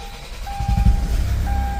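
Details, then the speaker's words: 2012 Kia Sorento diesel after repair for P0087/P1186 low fuel pressure and hard starting, with an amp clamp on the rear fuel pump: brief crank, clean catch into a steady low rumble with a chime. Starts much better than before. "okay so it starts up much better than before okay so let's see exactly what's going on"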